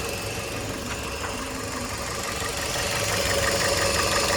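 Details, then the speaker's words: 2006 Toyota Porte NNP15 with a 1NZ-FE engine, automatic, 4WD, tested in Japan before dismantling. It idles, then picks up revs smoothly with a steady, even beat, no misses, knocks or hunting, and no smoke: normal running. "Двигатель работает ровно, обороты не плавают. Не дымит."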